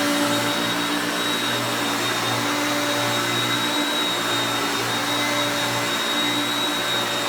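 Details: Hoover Concepts self-propelled vacuum on carpet. Steady, even motor hum with a constant high whine, no surging, rattling or scraping; normal running.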